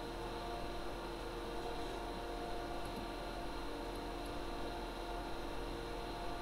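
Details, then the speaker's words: Server room after replacing the ARAID 3500 backup drive's fan, server and backup unit running again: even, steady low whir of fans and drives with no rattle, whine or buzz; ambient noise noticeably reduced, normal fan noise. "so the verdict for 9 bucks for 9 bucks we brought down the ambient noise quite noticeably here in the production studio"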